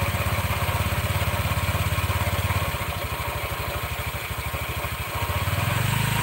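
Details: Red Honda Vario scooter idling with the rear wheel held still: rough, rapid rattling grind from the CVT belt drive, which disappears when the wheel is allowed to spin.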